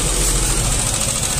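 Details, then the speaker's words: Yamaha Aerox 155 scooter idles loud and harsh with a choppy low throb and rasping, gritty top end like a coconut grater; very rough engine that several shops couldn't fix, disassembled to investigate. "er putih itu tadi er putih itu mesinnya kasar banget jadi enggak tahu kenapa sudah di berbagai bengkelnya bengkel juga nyerah"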